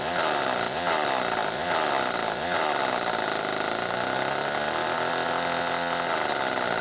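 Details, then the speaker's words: Homelite XL-2 two-stroke chainsaw running after earlier repair, oiler working: revving hard with wavering pitch swoops, chain slow to pick up; clutch slow to engage, owner suspects debris or oil inside, glazed clutch drum slipping before grabbing. "The clutch is slow to engage, and I thought, well, maybe it just has some crap up in it, and it may well."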